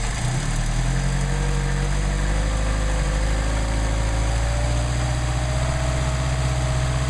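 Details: Mercedes 190SL with rebuilt Solex carburetors warming up before adjustment, about 99° ambient: steady, even low rumble holding a smooth fast idle with no misses or knocks. Healthy.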